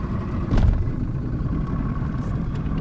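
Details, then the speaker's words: 1999 Johnson 200 HP two-stroke outboard (J200PLEEB) after fuel flow vacuum switch replacement, false check-engine alarm, restarted after a couple of miles' run: steady, even low rumble with no misses; normal smooth idle. "we're going to crank it up goes through his checks cranks right up and"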